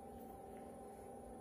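Soft steady rushing hum that stays even throughout with no clicks or rattles; the concentrator is running normally.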